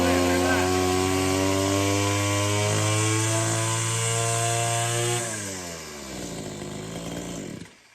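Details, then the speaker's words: Stihl FS66 brush cutter two-stroke (1984–1993 model), hard to start until old fuel swapped for Aspen 2 50:1 premix and air filter, spark plug and spark arrestor cleaned: steady high rev for five seconds, then smooth drop to idle and shutoff; normal running after fix. "Was not expecting a little bit of fresh gasoline and a good cleanup job to actually fix it, because I'm not a mechanic,"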